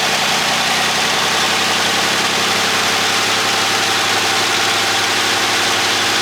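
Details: 1963 Buick Special, started with the key after several days sitting, coil hot all the time: settles into a smooth, even idle with no misses, knocks or stumbles; healthy, steady run.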